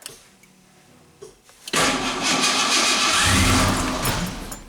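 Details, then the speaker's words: 1988 Ford Ranger after intake cleaning, timing slightly off, one cylinder suspected of occasional backfire: quiet cranking, engine catches with loud rough burst that sags and dies within seconds instead of idling; engine stalls after starting. "Oh, died there. Okay. Oh, there we go. Oh, it's gonna die again."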